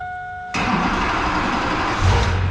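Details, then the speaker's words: Duramax diesel started after retightening leaking line fittings; a short crank catches cleanly and settles into an even, steady diesel clatter at idle with no misses; starts and runs normally. "Yeah, buddy. Whew. Sounds good every time she starts up, guys."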